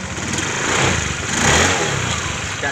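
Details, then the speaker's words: Honda Beat injection scooter CVT after opening: excess oil in the belt housing had made the clutch linings slip. Now an even, smooth note rising with throttle, no rumble or grinding; improved, though still slightly weak. Normal CVT running. "Ya, lumayan daripada tadi. Karena saking banyaknya oli di panbel jadi agak selip kampas gandanya. Tapi lumayan sudah daripada yang asal tadi. suaranya sudah halus."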